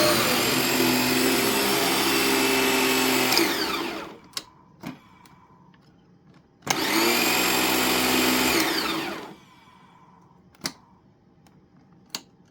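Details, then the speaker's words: Used vacuum cleaner, switch suspect: main motor roars a few seconds, winds down, kicks back on abruptly, dies again while brush roll motor keeps running; intermittent main motor cutout, cause not confirmed. "did the motor just die or is that still the switch I don't know whatever it's started to go shark syndrome for a second there where the brush roll motor was running but not the main motor"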